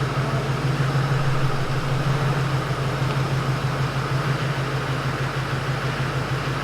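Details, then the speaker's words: Replacement Duramax LMM diesel on first start after engine swap, fresh oil, filter and antifreeze, fuel system primed: steady, even low rumble with a smooth regular beat, no knocks or misses; healthy idle. "There she is, guys. She's running."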